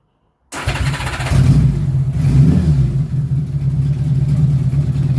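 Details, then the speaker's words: 1977 Honda Goldwing GL1000 after fitting Dynatec ignition and Dyna coils: engine catches within a second and settles into an even, low, steady idle with no misses or knocks; runs much better, normal start and idle. "So it runs so much better. Listen to this starting up."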